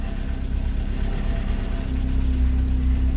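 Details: 1990 VW Golf Mk2 in neutral: low idle surging and pulsing unevenly a few times a second, very rough and vibrating; rough pulsating idle, owner suspects a temperature sensor switch, unplugging it seemed to help.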